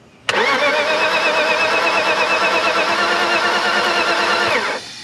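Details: BMW E36 325i crank-no-start after ECU and crank sensor checks; spark was lost earlier and compression reads low at about 90. Starter spins briskly, about three turns a second for four seconds, but it never fires. Owner suspects coil-pack grounding or fuel pressure.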